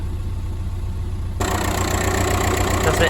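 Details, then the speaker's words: Car on a roadside call for a crank no-start with a flat battery, charging test at idle with a multimeter, no battery light: steady, even low hum with no misses, knocks or whine; alternator charging fine, old dead battery suspected. "it no problem with the alternator charging idle"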